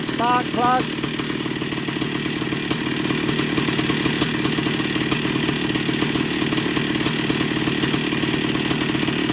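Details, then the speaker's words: 1982 Yamaha YZ490 two-stroke idling after rebuild with new bottom-end bearings and seals, started first kick with a bit of fuel: steady crackling burble, no rattle or bearing rumble, quieter than before; normal idle. "she St sounds pretty good sounds a lot quieter than before new bearings"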